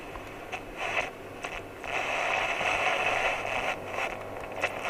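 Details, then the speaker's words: Hacker VHF Herald RP37/37A radio under repair: faint hiss and crackle, with distorted, hit-and-miss reception at channel 21 fading in and out; some RF reaches the IF transformer, and the oscillator is suspected way out, cause unconfirmed. "okay got distorted at c21 if you can hear that now i've got distorted signal at c21 there bit hit and miss my g but hmm maybe the oscillator is just way out"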